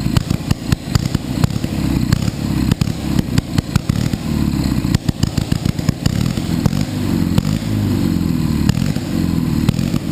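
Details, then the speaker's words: Panhard at first start, running rough with irregular popping beats as revs surge up on their own and idle won't hold steady; flames and possibly oil thrown from the engine area; engine revving by itself. "γιατί κάνει όταν μαρσάρει μαρσάρει και από μόνη της"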